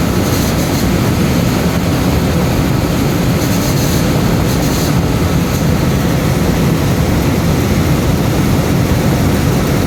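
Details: Cambridge direct-fired makeup air unit burner and fan, after airflow lockout from a misadjusted actuator/damper, restarted with airflow: steady, even roar without surging or cutting out; firing normally with good airflow.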